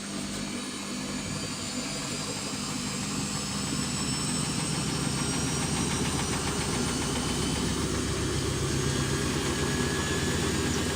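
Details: Samsung washing machine after a major overhaul, tested on the spin cycle: even, steady, smooth rhythmic whirr with no banging or knocking; spinning normally after the knocking fix.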